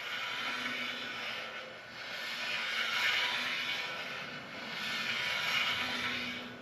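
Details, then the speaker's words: Ridge reamer turned by wrench in a junk engine's cylinder bore, cutter pushed against the wall but not yet cutting; slow, even scraping swish about every 2.5 seconds as it rides the bore. "so when we put our wrench on here you can hear a consistent sound as it's basically just riding around the inside of the cylinder"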